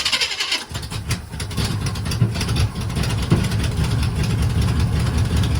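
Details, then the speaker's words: 1980 Chevy K30 squarebody with SBC 350 V8, carbureted, choke not hooked up, after new relocated starter solenoid: cold engine catches and runs lumpy, revs surging and sagging as choke is worked by hand. "Got manual choke action. Manual choke."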